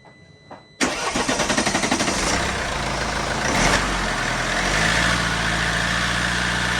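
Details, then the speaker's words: Mercedes C220 CDI diesel after an oil, air, fuel and cabin filter service. The ignition was cycled to prime the in-tank lift pump, and the engine catches at once with a steady clatter. It is revved to 2,000–3,000 rpm to purge air and runs clean. "Once the car starts, rev it up to 2,000, 3,000 RPM straight away and this should clear the air out of the system."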